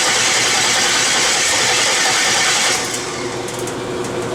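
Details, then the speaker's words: LS-swapped V8 with homemade headers on its first startups and no stepper motor idle control: uneven popping, ragged running with hissy intake noise that sags midway; a misfire from coil packs wired to the wrong cylinders. "It doesn't have a stepper motor control. It's popping. It's not running right."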